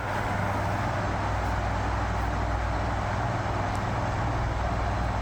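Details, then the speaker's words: 1973 National F-30AAD table fan at full speed with oscillation, after temporary lubrication of bearings and gearbox: smooth even low whoosh, no ticking, rubbing or rattle; motor runs quietly and freely. "let's turn it on for this just a 5way oscillation blue the blue electrical tape at the front of the motor blew off and it is pretty quiet even at full speed"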